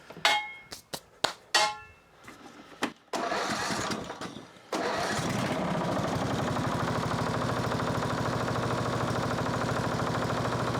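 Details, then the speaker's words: Sabre 1438 riding mower (made by John Deere): clicks and a few cranking attempts, then a steady but rough, clattery drone that stays noisy at idle; owner suspects very bad, thin oil. "Well, still noisy. Still noisy, but that oil could just be really, really bad."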